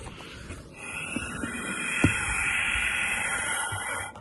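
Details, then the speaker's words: Triumph Sprint ST fuel tank front breather pipe, blown through by mouth after the twisted, kinked pipe was straightened. A steady, clean airy hiss shows air now flows freely. The kink had pressurized the tank and forced fuel out of the filler cap. "Now you can hear it. So that kink tank is my problem."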